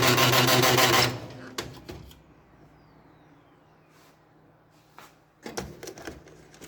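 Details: Old HP LaserJet P1102, noisy with paper jams, when turned on or printing: loud harsh grinding burst about a second, then light rapid clicking, from a broken gear, replaced with a second-hand gear.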